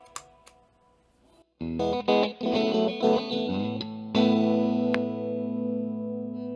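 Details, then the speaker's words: MXR Phase 90 EVH phaser pedal under repair: distorted, swirling guitar chords broken by sharp pops, caused by a low battery; popping stopped once the pedal ran from a power supply. "Hear the popping? I'm an idiot. It's a low battery."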